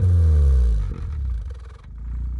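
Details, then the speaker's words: Turbocharged Suzuki Swift ZC31S, limped home after breaking down: deep, rough exhaust roar on each throttle blip that breaks up and rattles as revs drop, with visible exhaust shake; abnormal exhaust noise, cause unclear. "See that shake in the exhaust? And that sound it's making? Go again, one more time. Very unusual."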